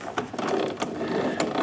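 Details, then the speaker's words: Toro Recycler model 20332 self-propel mower, cable correctly adjusted: uneven ratcheting clicks and gear chatter in bursts as drive only partially engages under machine weight; suspected fault inside transmission gearbox; self-propel drive slipping. "it's making me think that unfortunately something's not quite right inside that gearbox there, because it's only like partially engaging, and certainly under the weight of the machine, and it's not going to be able to push itself."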